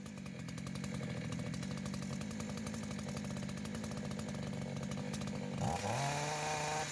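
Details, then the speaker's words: Chinese two-stroke chainsaw after carburetor cleaning and new primer hoses: fires up, runs with a clean steady buzz, revs smoothly; was failing from primer hoses, fuel filter and dirt in sediment bowl. "запускається нормально це вже на вулиці простотестують тому що тут диму буде занадто багатсько"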